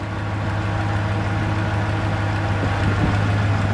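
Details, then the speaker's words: Truck on first start of the morning, cold: fast, light ticking at roughly three per second over a steady idle rumble, following engine speed and fading within a minute as it warms, still audible on one side; exhaust manifold leak, not lifter tick. "I mean that's it it warms up that quick it'll go away you can still hear it on this side"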